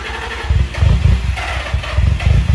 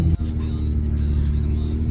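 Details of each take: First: Nissan 350Z, jump-started from a truck after a new camshaft sensor and a replacement crankshaft position sensor. Before it wouldn't start at all; now a low, lumpy idle surges and sags. Rough idle. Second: Nissan 350Z idling after camshaft position sensor, new batteries and two bad ignition coils were replaced: steady, even low rumble, smooth unbroken beat, no knocks or misses. Normal idle after repair.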